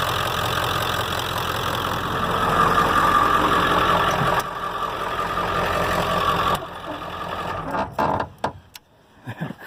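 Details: 1995 Ford F350 7.3 Powerstroke diesel idling after power steering pump replacement; steady even idle, no whine or squeal from belt or pump, then shut down; normal idle.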